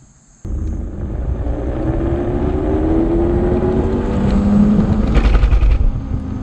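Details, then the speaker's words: Homemade electric dirt bike on a Kawasaki KX250 frame with a 72V 12,000W kit, controller settings lowered to 200/400. Under throttle the motor drones with rough pulsing about four beats a second and a faint rising tone: motor cogging, cause unknown. "yep still doing that thing i don't know how to describe it but it's still doing it even at these lower settings"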